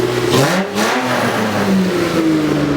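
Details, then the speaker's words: 2JZ-swapped Nissan S14 with new full exhaust, revving after fixing misfire/breakup halfway through RPMs (pin 76 cut on harness): clean even revs climb and fall smoothly, no midrange stumble; runs properly, fixed. "Like, I'll rev it for you, and it just runs so good. It's fixed."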